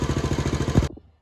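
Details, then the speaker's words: 1979 Honda CT90 Trail 90, original carburetor leaking fuel, first start on choke after checking oil: fires on one kick with a quick, even popping beat around sixteen pulses a second, then cuts off cleanly; sounds good. "Power on choke on oh my God one kick come on baby that sounds good"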